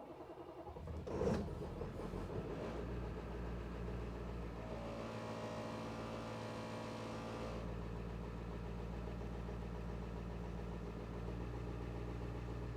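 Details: International 3800 school bus with T444E diesel, cold start near zero degrees after one glow plug cycle, with diesel additive and a possibly low battery: catches quickly into an even, smooth idle with no knocks, 63 psi oil pressure; normal cold start.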